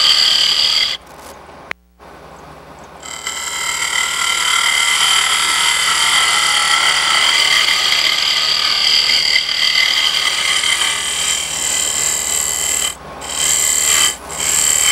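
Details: Lathe turning a hardwood (maple) wine glass stem near the glass hole: steady high cutting hiss with ringing shifts to a hollower drum-like note as the wall gets thin; time to stop cutting before sanding breaks through.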